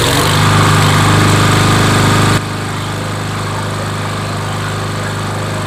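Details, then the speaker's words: Craftsman (MTD) mower, PowerMore 140cc with auto choke, customer said it starts then dies: loud busy buzz that suddenly sags lower and runs unevenly; suspected lazy auto choke in half-warm stage. "I think it was that in between stage when it was like not warm, not cold. So, the choke was like kind of not sure what to do."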